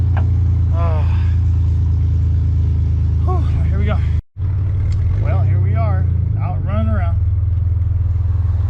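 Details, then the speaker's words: Ford Ranger rebuilt engine with new lifters and head, valve cover and exhaust gaskets after oil pump failure, timing set, on its first test drive warming up: steady, even low drone under load, no knocks or ticks; sounds pretty good, normal. "sounds pretty good too bad we're gonna let it run for a little bit probably a few miles through it just to make sure everything you know"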